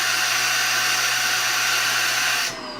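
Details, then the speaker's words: Shark vacuum suction test with the wand reattached after testing without it: loud steady airy hiss that stops abruptly; the returning sound shows the suction blockage is in the wand. "That sound came back. That means if you're doing the if you're following this the way I'm teach I'm showing it, the suction should be in the wand. The problem is in the wand somewhere and that's how we break it down."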